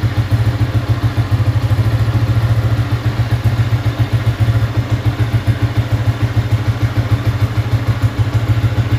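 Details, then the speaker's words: Yamaha Y15 with freshly installed 63mm big-bore top set, timing and air roughly adjusted, not fine-tuned: deep, loud thumping idle about three to four beats a second, slightly uneven; untuned big-bore running. "Okay, tapi respon nak bawa memang ada bobok lah. Okay, ada bobok lah, dia tak fine tuning kan."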